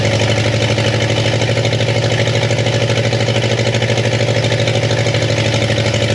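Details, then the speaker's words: 1962 Chevy Impala convertible with transplanted 307 V8 and 4-speed, sat for decades, first brief start before timing-light setting: loud, regular clacking about three per second over rough idle; now firing on all cylinders, owners suspect a sticky valve. "I still think we got a little uh sticky valve issue there yeah it sounds real clacky right"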